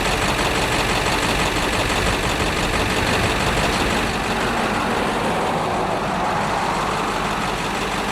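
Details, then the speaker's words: International truck with DT466 diesel, bump-started by towing in about third gear: heavy diesel settles into an even, steady idle with no knock, miss or rattle; excellent running engine. "but it's running it's running good let's go that is an excellent excellent running engine"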